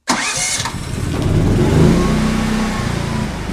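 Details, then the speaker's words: GenMax inverter generator, first real test, push-button start in cold weather inside a shipping container before driving a table saw: a brief whirring crank, then it catches and settles into a steady, even hum with no misses or knocks, a normal healthy start. "And so I'm going to go ahead and start this thing up and see how it does with this table saw."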